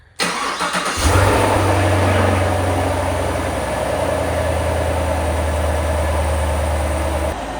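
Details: 2021 Camaro SS V8, crash-repaired and being built up with heads and cam. It is first started after fresh engine and transmission oil and antifreeze, with the battery reconnected: it catches after a brief crank, flares, then settles to a smooth, even burble. No warnings shown. Normal.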